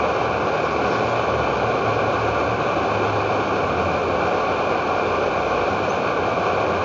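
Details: Edward Hexon backpacking stove on white gas (Coleman fuel), syringe-fed at about 3 cc per minute in place of its pump, heating 500 ml of water: loud, steady rushing roar with no sputter or surging; burning cleanly at full output.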